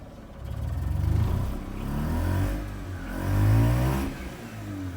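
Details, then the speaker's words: Cold Mazda RX-8 rotary with flashing check engine light and a weird idle, lightly revved: revs surge unevenly with a lumpy, unsteady note, then it dies once the throttle is released; rough running and stalling, cause unknown. "So I'm just letting go. It stopped revving. Look at that, and it just died."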